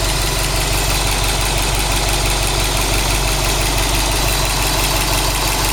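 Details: Subaru WRX STI after engine replacement, new engine 800 km, all original parts, no tuning, 5W40 oil, 2 bar oil pressure, 85°C oil, 21°C air: idle with rhythmic tapping about three per second over deep rumble; abnormal noise, source unknown.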